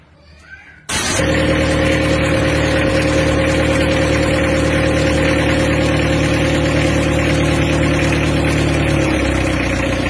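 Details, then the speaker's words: Mitsubishi L300 diesel freshly rebuilt after heavy blow-by (ring gap 5 mm), first run-in the day after assembly, not yet tuned; catches quickly and settles into a steady clatter with firm rumble, a slight puffing owner suspects is air filter or exhaust. "Ini hidupnya kemarin sore, ini akan kita rem sampai nanti sore. Untuk selanjutnya besok akan kita setel."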